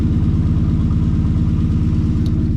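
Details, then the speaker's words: 1963 Plymouth Belvedere, sitting since 1978, warm after about five minutes idling with two swapped plug wires put back: even, steady idle with every cylinder firing cleanly, no miss or stumble. "I switched those two wires back, so now it's running nice and smooth. Listen to it purr."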